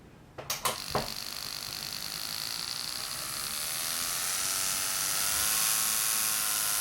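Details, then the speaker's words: Rotary tattoo machine, needle throw set same as coil machine, voltage being turned up: a few clicks then a thin high electric buzz climbing steadily in pitch as it speeds up; hit stays equally hard at any voltage, normal smooth running. "But it just won't run as fast. And almost like a race car or a motorcycle, you can hear this thing speed up when I turn up the voltage."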